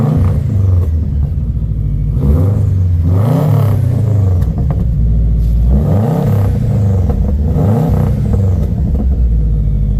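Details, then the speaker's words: Subaru with a pass-through muffler, oil in the intake: several clean revving blips rising and falling over a low, muted exhaust rumble, no knocks or rattles, quieter than expected; healthy engine. "It sounds great. Sounds really good, actually."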